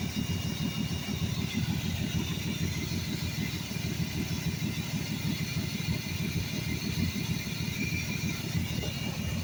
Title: 1982 Ford F150 300 Auto. There's a horrific vacuum leak around that quadrajet somewhere...